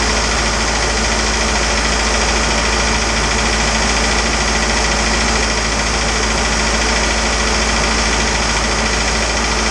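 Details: Isuzu 4BD2T turbo diesel in the Rusty the Spryte build at initial startup after an oil leak cleanup: steady, even idle clatter with constant beat, no misses or knocks; running normally.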